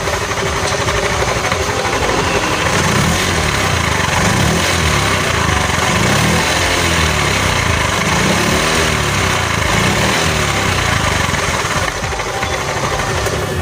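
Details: Honda Beat automatic scooter engine at idle: rough uneven clatter that never smooths out, knocking at low revs; damaged crankshaft bearing from earlier oil starvation, to be replaced; crankshaft bearing knock.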